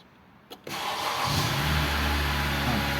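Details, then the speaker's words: 2013 Honda Accord that would not start, after repairing a broken body/ground wire: brief crank, then catches and settles into a steady, even, smooth idle with rpm rising; starts and runs normally. "Qalxdıq. İndi avtomobilin səsindən də hiss olunur ki, yəni avtomobil xoda düşdü."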